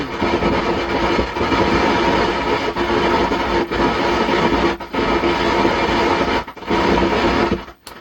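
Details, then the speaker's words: 120 W amplifier powered on for repair: continuous coarse crackling hiss with a low rumble like thunder, cutting out briefly at times; customer-reported internal noise fault. "जैसे लग रहा है कि बादल गरज रहे हैं ऐसे आवाज आ रहा है।"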